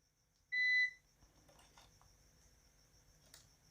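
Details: Luminous LB600PRO UPS: one short high beep lasting about a third of a second in a quiet room; an alert with no stated meaning.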